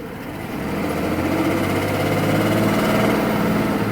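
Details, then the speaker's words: Mercedes W140 S600 V12 with a new wiring harness, started with no throttle: it fires right up into a smooth, even idle with no misses, knocks or hunting. It still has a throttle problem; the owner suspects the air mixture, and a catalytic converter was also suggested. "I'm not having a throttle it fires right up Idols you really almost know nothing was wrong with it"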